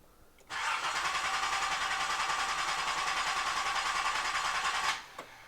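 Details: Nissan 300ZX Z31 after fuel tank install, fuel pump running: starter spins evenly about three pulses a second for over four seconds, never catches; crank no start, owner then checks spark.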